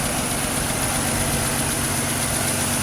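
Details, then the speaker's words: 2006 Pontiac Grand Prix supercharged V6 swapped used engine at idle after replacing junk knockoff spark plugs; even, smooth low rumble with no knocks; a slight miss remains and there is an exhaust leak on the crossover. "Man, she's idling smooth. Nice. Well, it is a good engine."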